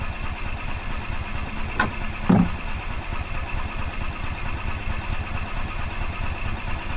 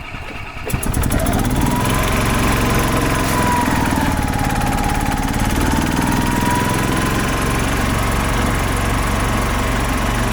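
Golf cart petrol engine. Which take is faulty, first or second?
first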